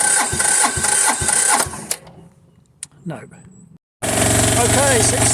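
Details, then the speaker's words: Diesel machine reported for lack of power: after bleeding the fuel system (no fuel at the pump's top inlet, cracked open) and using the decompression lever, it cranks, goes quiet, then fires and holds a steady, even idle knock; fixed. "so this machine's fixed uh it was relatively simple and hopefully that'll be up and running"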